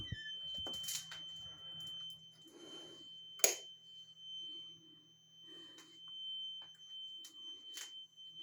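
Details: Carbon monoxide alarm sounding a steady, piercing, unbroken high tone at 01:45. It is loudest in the hallway and fades in the bedrooms. The source was not found that night; the next day it turned out to be a small cellphone-size box on the floor.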